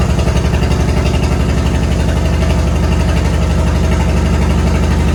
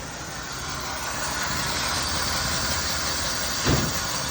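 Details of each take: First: 1972 Chevy C10 being revived, after fixing a fuel hose: steady, even idle with a firm low exhaust beat and no misses or rattles; running much better. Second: 1972 Chevy C10 revived after sitting, rotten holed muffler later found crammed with acorns: engine runs loud and uneven, starving, ragged exhaust note, little flow from tailpipe, one sharp bang near the end; rough running, suspected blocked muffler.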